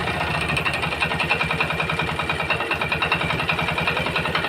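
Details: Yamaha Jupiter MX small motorcycle engine idling after standing overnight: steady metallic clatter about three to four knocks a second; piston block and connecting rod damaged, worn big-end bearing.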